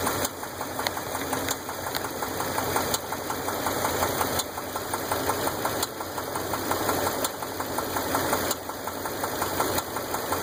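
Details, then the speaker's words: 2001 Dodge Ram 8.0L V10 idling with a quick steady tick plus a heavier periodic knock from the passenger side, found by stethoscope; a broken rocker arm bolt let the pushrod loose. "We got a tick and a knock. Weird. We'll figure out what it is."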